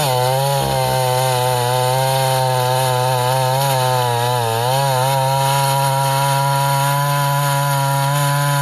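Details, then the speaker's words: Vintage Husqvarna L65 chainsaw, chain sharpened, carb slightly tuned, cutting ash: high scream under cut with revs wavering and climbing as the tank nears empty; owner unsure if normal, may add fuel or adjust the high jet. "When you hear the RPMs kick up when the tank's almost empty, I don't know if that's the way it's supposed to be or if I can tune it."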